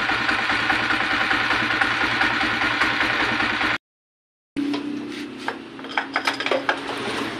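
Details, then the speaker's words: Engine with new timing gear, cam followers and pushrods but original rocker arms, idling with fast light top-end ticking; excessive play in worn rocker arm makes it tick and lose valve clearance adjustment. "Ito po malaki na po yung play ngaran yan Kaya minsan Kap lang malagitik na at nagiiba yung adjustment niya"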